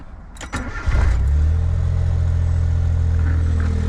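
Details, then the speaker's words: Suzuki Cappuccino with some rust: quick crank, then loud, deep, slightly uneven idle with raspy low rumble; exhaust noise at idle, suspected exhaust leak, probably cracked, location unconfirmed. "sounds like an exhaust leak to me sounds like it's somewhere here yeah I don't feel air over here right there probably cracked or something like that"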